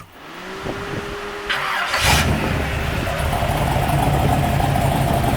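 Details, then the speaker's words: 1973 Corvette C3 big block V8, new mini starter replacing one that clicked three times before catching; hot start after 5–6 minutes at 60 mph, starter at 300 degrees: brief quick crank, catches cleanly, even idle, no clicking. "Not bad. I mean, it's not 100 degrees out today, but I drove it at 60 miles an hour for 5 minutes, 6 minutes, so that's pretty warm. It seems to work okay."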